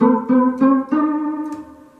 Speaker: It makes regular noises like a piano.